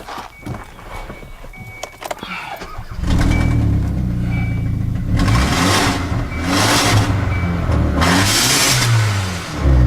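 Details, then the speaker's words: Engine with a plugged catalytic converter, upstream O2 sensor removed so it exhausts through the open sensor port: catches after about three seconds, then revs climb freely in three strong bursts; it couldn't rev before, even at wide-open throttle. "now you can hear the sound the other thing too is I can rev it now and I couldn't before"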